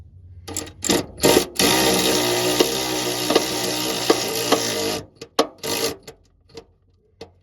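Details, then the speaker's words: 2015 Buick Verano exhaust repair for P0420 with Walker exhaust: power ratchet whirs steadily while sharp pops break through as a flange bolt binds, because the exhaust is misaligned; no popping should be heard. "You see, you hear the popping that we're hearing on that bolt? You're not supposed to have that popping. It's because this exhaust is not right."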